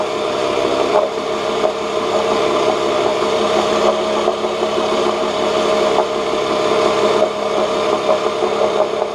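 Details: 1986 Johnson J4BRHCDE 4 hp Seahorse two-stroke outboard, stored for years, previously overheating, test-run in water after cleaning water passages: steady high idle, even tone, no hunting or misses, cooling water circulating; about 5 minutes in, a little hot; small known carburetor leak; healthy.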